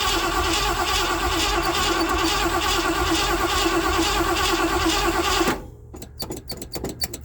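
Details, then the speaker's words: 1979 Ford F-100 that sat for years, old gas: steady cranking about three turns a second to test the fuel pump, no firing; cranks but won't start, cause unconfirmed. "Let's see if the fuel pump works, shall we? I got to crank for a few minutes obviously, but"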